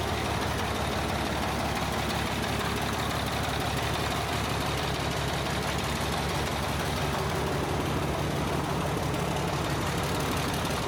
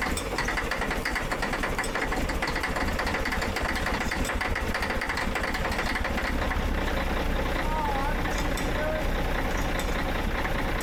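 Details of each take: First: Caterpillar 977H loader with D333 diesel, oil-into-coolant problem traced to cracked head: steady low rumble idle with even firing, no misses or knocks; running smoothly. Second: Caterpillar 977H loader, D333 diesel after cracked-head repair, started in freezing cold with jump charger: harsh, uneven clatter; owner suspects air-related issue, airlines frozen; rough cold start, not confirmed.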